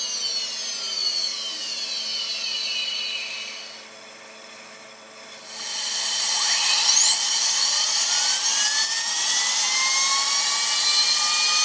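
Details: Tripet MUS-100 grinding machine main spindle with oil mist lubrication; spindle switched off and on again: thin high whine fades out, then tone sweeps up to a steady shrill pitch; normal high-speed spindle.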